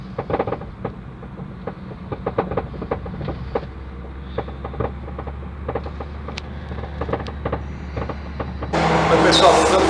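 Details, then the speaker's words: 2010 Opel/Chevrolet Astra driven over small road ripples gives repeated sharp clunks from the front suspension above road noise; cause found: sway bar links with excessive play and loose upper strut mounts on both sides. "É um barulho muito forte na suspensão dianteira, tá? Não precisa nem estar passando em buraco muito forte, não. Pequena ondulação já na pista, já está fazendo."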